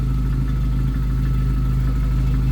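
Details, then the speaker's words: 1991 Jeep Wrangler YJ 2.5L four-cylinder, Flowmaster Super 44 with tailpipe out the back, coupler leak sealed: low full exhaust rumble, smooth and even, no ticking or leak puffing; healthy, well-sealed, much quieter. "that's so much quieter with it going out the back than when we started it with it just like kind of hanging on there it was pretty loud this is so much quieter with it going all the way back"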